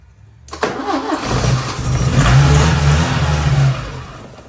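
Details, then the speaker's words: 1980 Porsche 924 Turbo, unstarted for perhaps 2–3 years, new fuel filter, starting fluid in intake, weak jump box: starter churns, engine coughs and briefly catches, then dies; owner suspects injectors need cleaning. "All right, we're gonna give her one more shot, and if it doesn't catch, then tomorrow I'm going to clean the fuel injectors and we shall see what happens."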